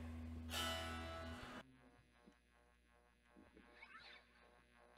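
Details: MXR Phase 90 EVH pedal after switching from a low battery, which had caused popping, to a power supply: a strummed guitar chord rings through with a clean, working phase effect and no popping.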